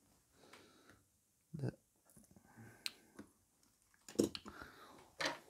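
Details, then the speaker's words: MacBook Pro A1708, lid opening: sharp irregular cracks about once a second from plastic antenna cover rubbing the case at the hinge. "cracking sound all the time. So we have to push this a little bit in this part, you see."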